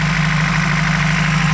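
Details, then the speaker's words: 1993 Toyota 22R petrol engine with a fast, steady high idle; O2 sensor reads lean around 110 mV; owner tests the TPS next. "When we're gonna check for, you can hear that one is a high idle."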